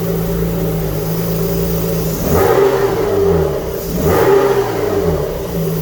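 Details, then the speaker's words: Alfa Romeo GTV V6 after mechanical restoration, first full start: even idle then two clean throttle blips rising and falling smoothly without misses; smoke from unburned oil expected to burn off; engine healthy. "so let's go for a full start let's hear it run properly oh yes all the smoke is going to be from unburned oil and stuff which has got over the engine once that all that heats up it will burn away"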